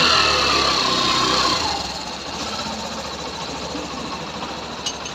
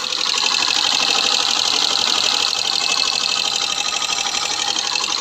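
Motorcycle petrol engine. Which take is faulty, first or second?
second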